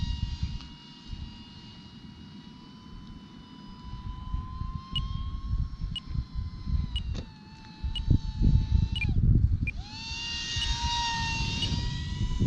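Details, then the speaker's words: E-Flite UMX MiG-15 28mm EDF jet in flight: faint short beeps about once a second over the steady ducted-fan whine, the low-battery alarm signalling it is time to land. "You hear the beeping? That is signaling it's time to land, which I am doing right now."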